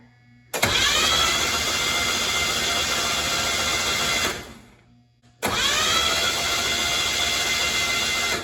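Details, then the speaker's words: Z24 turbo 3400 engine cranking on starter with spark plugs out, injectors unplugged and fuel pump fuse pulled before first start: smooth even starter whir, no labouring; engine spins freely, sounds healthy. "Now, just to be 100% and just to show you guys, when you're free revving the engine like that, it's been so easy that it almost sounds like it's not even turning the engine."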